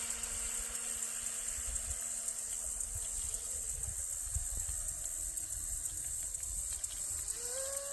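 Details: Wooden shrimp rigger RC boat on first water run, TP Power 2967 5250kv motor, Shark G2 100A ESC, modest prop: distant high electric whine over water, pitch climbing smoothly near the end as it accelerates; motor and prop sound healthy.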